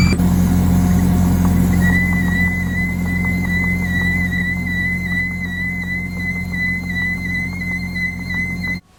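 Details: Bobcat T870 track loader, operator's left side: a thin, steady high squeal rises over the track drive rumble and holds while it runs; owner hoped it was the rear idler, but the drive motor was trashed and rebuilt.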